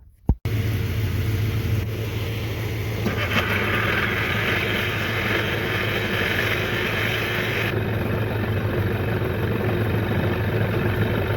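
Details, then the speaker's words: 1993 Johnson 15hp two-stroke outboard after a carburetor clean: steady, even idle with no misses, surges or knocks. Runs smoothly and healthy. "hey you see this motor runs really good now i have the car clean"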